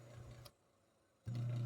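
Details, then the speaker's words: Three-wire capacitor washing machine motor: a steady low hum drops out, then returns noticeably louder and faster when supply is moved to the other, lower-resistance winding, so the motor overspeeds. "Ahora cuando yo paso al otro cable se van a dar cuenta cómo cambia la la velocidad por eso es que suena un poco más alto"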